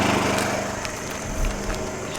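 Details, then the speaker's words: Champion 2500 W (1850 running watts) inverter generator idling in eco mode, recorded on a cell phone 25 feet away: steady, low hum with no misses or knocks, averaging 60 dB, louder than expected. "okay so i'm getting an average of 60 decibels which is louder than i would expect because it's not very loud"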